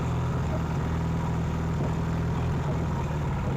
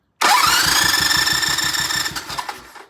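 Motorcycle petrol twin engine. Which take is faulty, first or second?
first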